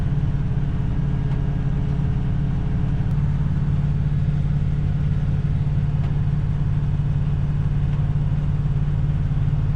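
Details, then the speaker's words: 1967 Ford Galaxie 500, 289 Ford V8, just restarted and warming as the thermostat opens during first-start break-in: steady, even low rumble with no knocks or misses; it runs smooth. A small water leak and smoke thought to be power steering fluid burning off were noted. "Okay, so Let me start it back up. So as you can hear, it runs real smooth."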